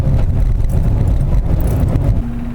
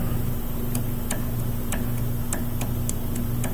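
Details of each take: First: 2005 Saturn Ion driving after replacing front sway bar bushings and sway bar links: steady low road rumble at cruising speed with no clunks or rattles; the annoying front-end noise is gone. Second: Saturn Ion sway bar link, removed with its boot torn off and rocked by hand. Sharp dry clicks about twice a second over a low steady hum reveal play in the worn ball joint; the links are replaced in pairs.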